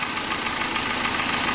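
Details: 2007 Toyota Corolla (Fielder), codes P0335, P0302, P0304, rough idle, checked with an oscilloscope cylinder by cylinder: uneven, stumbling idle with a hissy, irregular beat instead of a smooth hum as a cylinder drops out and misfires.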